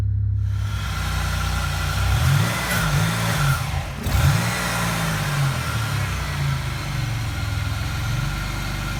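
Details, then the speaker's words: 2002 Pontiac Grand Prix, 3800 Series II NA V6, intermittent low-RPM stalling; fuel pressure good, IAC, ignition module changed, MAF cleaned: catches, idles low, wavering sagging stumbling idle. Crank sensor suspected; cause later found a bad MAF sensor. "it'll start to stumble, like the timing is way off, can stall, runs rough."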